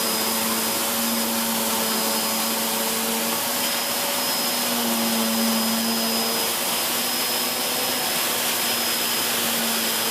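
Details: Hoover Whirlwind Pet WHS2102 001, a 2100W bagless upright from 2013 with a refitted belt, on carpet: a loud, steady motor roar with strong hiss and a faint beater-bar tone, noisy from the aggressive brush roll raising the pile; normal.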